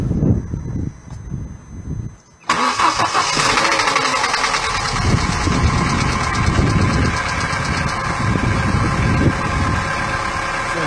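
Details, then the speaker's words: Vauxhall/Opel Astra, cold start only, intermittent once a day: after cranking the engine settles to idle with a light, fairly quick tapping/knocking; source unknown, no effect on running or driving. "you can hear it's kind of a light enough knocking noise now I should mention it doesn't you know have any effect on the car whatsoever"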